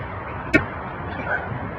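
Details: Hot-water pipe: sharp, isolated taps about two seconds apart over a low background hiss, pipe knocking.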